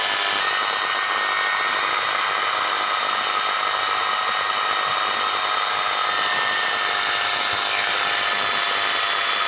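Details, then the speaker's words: Small universal motor run on 220 V through a salt-water resistance: steady high-speed whine with harsh hiss and crackle; heavy commutator sparking, after which a broken armature wire was found and rejoined. "दोस्तों यहाँ पे commutator पे बहुत ज़्यादा sparking हो रही है।"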